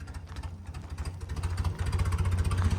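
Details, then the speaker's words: 1970 BMW 2002 started for the first time in 10+ years, running on ether with no fuel supply: low, lumpy, slightly uneven very-low-RPM idle chugging like a tractor, seeming to need a little choke; rough idle, cause not confirmed. "oh is just idling idle it sounds like a tractor"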